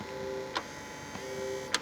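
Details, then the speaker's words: Xbox 360 Jasper model: two brief whirring motor bursts, each ending in a click, as the disc drive tray motor strains and fails to open a stuck tray; the console otherwise works normally. "trying to open so the driver is obviously stuck but the console does appear to work normally apart from that"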